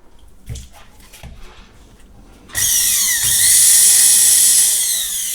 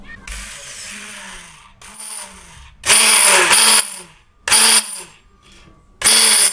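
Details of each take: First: Bosch MSM6250 400 W motor after cleaning and oiling: high steady motor whine spins up quickly and holds even pitch, no rattle or grinding; motor healthy, though a separate part later suspected of a failed bearing getting hot. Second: Bosch MSM6250 400 W hand blender: short bursts of harsh, rasping high-pitched grinding each time the motor spins up; a clear mechanical fault, a worn, dry shaft bearing, with no electronic problem.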